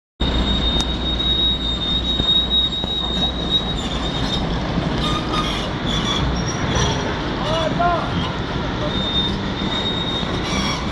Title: Volvo 290 excavator with turbo failure